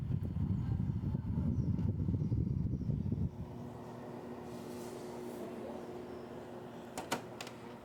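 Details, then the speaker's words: Samsung air conditioner running with a loud low buzzing rattle from the casing connections, not loose screws (all screws tight), easing into steady fan hum; chronic Samsung problem. "Não é questão de parafuso. E sim da carenagem, as conexões deles."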